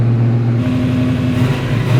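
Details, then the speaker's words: Freshly built Sandman panel van V8 revved up: loud, deep, rowdy burble climbing cleanly with throttle and dropping back without stumbles. Healthy engine, not yet bedded in; bedding-in is planned on the dyno. "That's a lot louder than I thought. That sounds good. What do you reckon? That sounds sick. It's freaking loud."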